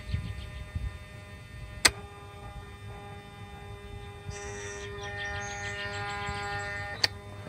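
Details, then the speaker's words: Mercedes SL600 with overhauled throttle body (motor brushes, wiring, connector, shaft bolt), ignition on, engine off, driver's side unit: sharp click, short steady motor whir, closing click; throttle body self-test cycling normally. "the first thing is we want to check with the ignition on engine off to see for throttles are active so here is the noise from the driver's side"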